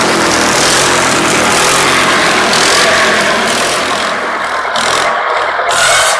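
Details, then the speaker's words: Wisconsin THD engine driving an antique buzz saw, cutting slab wood after mouse nest cleanout: strong steady engine note under the loud rasp of the blade through wood, no bogging; successful test run, running healthy. "uh so shhh so well i'd say that was a successful test run and uh of the thd wisconsin"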